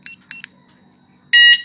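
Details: Yamaha Nmax scooter after install, with the speed sensor refitted properly: the remote gives two quick high chirps, then one longer steady beep. The alarm answers normally; the earlier engine light was from the disabled speed sensor, not the alarm.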